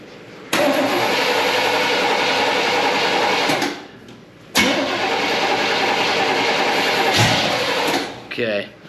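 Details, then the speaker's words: 1972 Chevrolet Impala parked for a severe misfire, after cleaning and sanding the points to restore spark and confirming fuel: two cranking bursts about three seconds each, one brief catch in the second, never runs. "it fired off once let's see what else we got going on here"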